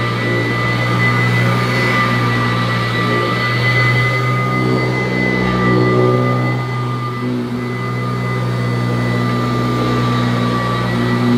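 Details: Kirby Classic III vacuum cleaner, old unit at first run after unboxing, strong suction at the head: loud steady roar with sharp, ear-piercing high tones held constant; an abnormal motor whine, cause unknown.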